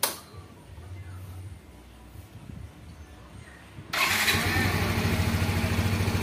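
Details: Yamaha X-Ride fuel-injected Blue Core scooter after throttle body cleaning and scanner reset: quiet at first, then settles into an even, steady idle with no hunting or misses; idle neither too high nor too low, doesn't stall.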